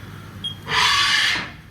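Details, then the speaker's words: Older Haas VF1 CNC mill bought with a gearbox issue, X axis G28 zero return/homing; short rising whir, a bit noisy but smooth, no grinding, knocking or alarm; limit switches okay. "Bit noisy, but it's okay. And that's okay."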